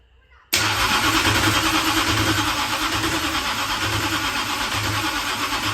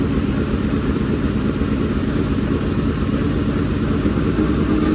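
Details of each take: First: Dirt-track race engine during first start attempts, ignition on and fuel in: a harsh, gritty starter whir over slow, even cranking pulses of about three a second, with no firing. The starter sits too close to the flywheel and binds. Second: Freshly built dirt-track race V8 at break-in fast idle: an even, rapid burble with no knocks, ticks or misfires. It sounds good with no leaks. Normal running.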